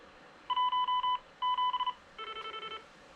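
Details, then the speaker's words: GM300/GR300 portable DMR/analog repeater with ZR310 controller: three short bursts of paired DTMF beeps in a quiet room. The controller answers the 360# keypad query for enabled users (CTCSS tones); three dots mean connected and still transmitting. "i'm going to exit the menu using 99 hash so three dots means we're connected it's still transmitting we can send our next command three six zero hash"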